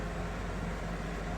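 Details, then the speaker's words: APA 10-litre 85 W air cooler on medium fan speed: even whoosh of moving air with a low constant hum, no rattle or wobble; fan running normally. "Jadi kita coba dari high. Nah, ini udaranya sangat kencang ya, kedengaran di kamera."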